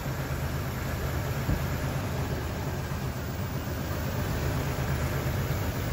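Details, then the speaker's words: 2000 Toyota 4Runner with a dead fuel pump, running on a fuel vapor system, mass airflow sensor not connected: idle with a low uneven pulse and loose irregular beat; rough idle, slight misfire, disconnected mass airflow sensor suspected. "because that helped out a lot still has a little bit of a misfire so I think we got it"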